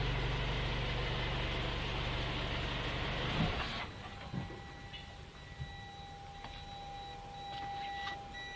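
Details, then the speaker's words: 2017 Toyota C-HR after installing a SkyBrake contactless immobilizer with motion sensor: tag not read, car starts moving, engine rumble stops abruptly, then rapid high warning beeps chirp repeatedly as the immobilizer cuts the engine. "Maintenant, les signaux ont changé. antidémarrage dit cette étiquette nous ne lisons pas, et après qu'il maintenant peut éteindre le moteur, si l'on commence à se déplacer en voiture."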